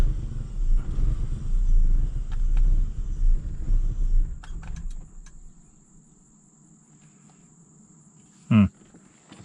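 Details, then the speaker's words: BMW E39 530 M54 after sitting about three weeks, quarter tank of fuel: lumpy uneven idle surging and sagging then dying; no codes after clearing MAF and misfire codes; owner suspects new mass airflow sensor or fuel pump. "very interesting didn't run this bad before I'm gonna say probably that new mass airflow sensor is not good"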